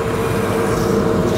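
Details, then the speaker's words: Do-All vertical band saw after belt replacement, run on phase converter: steady even hum, no squeal at slowest or medium speed where it used to squeak badly; belt drive running smoothly. "would squeak really bad at its slowest speed that's it well slowest yeah slowest in uh medium that is smoother as well nice"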